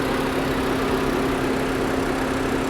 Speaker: She purrs. Quiet. Really quiet.